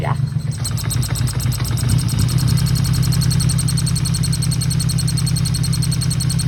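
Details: 1977 Yamaha XS750 before carb teardown, fitted with aftermarket air cleaners, fuel possibly gone stale: uneven idle with fast irregular ticking, three to four beats a second, over a low rumble; owner suspects valve/cam area or a vacuum leak.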